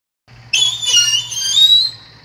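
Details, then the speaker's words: Motorcycle drum brake: sharp high squeal jumps in as brake applies, then holds as a steady whistle; shoes leave heavy wear residue packing the linings so they can't contact well; drum brake squeal. "como podemos ver el ruido se genera porque las pastillas van dejando mucho desgaste entre ellas y las bandas se llenan de residuo entonces por eso no pueden hacer buen contacto"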